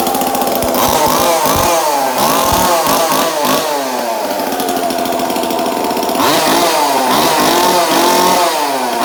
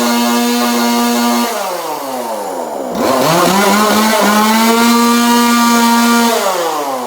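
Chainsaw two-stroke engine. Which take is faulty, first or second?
first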